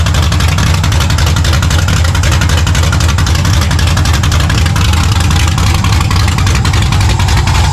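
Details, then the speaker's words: 1970 Monte Carlo V8, long-tube headers with no exhaust, O2 sensor in free air, running very rich, vacuum leaks found: deep, loud, even rumble with steady firing beat, no knocks or rattles; sounds healthy, belt walking on idler. "uh right now just to, you know, crank it, listen to it run, make sure that the engine sounds healthy, which I think it does, uh, once I get the exhaust all set up and everything, I'll have a better idea of um, if there's any engine noises or anything."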